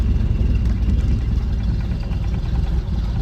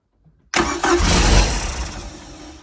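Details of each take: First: 1995 Larson 174 SEI boat, 3.0 MerCruiser Alpha One Gen 2, sat for 3 years: fires right up and settles into a steady, even, healthy idle with no knocks or misses. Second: 1995 Larson 174 boat, 3.0 MerCruiser Alpha One Gen 2, after sitting three years, with a new starter and throttle pumped to prime fuel. A burst of cranking and a brief roar fades within two seconds without catching: crank, no start.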